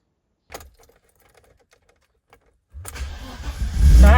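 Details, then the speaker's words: 1989 BMW E30 320i, started after a first attempt gave nothing at all. A short crank, then it catches at once and revs up cleanly: normal, prompt start. "sounds better perfect not bad eh not bad"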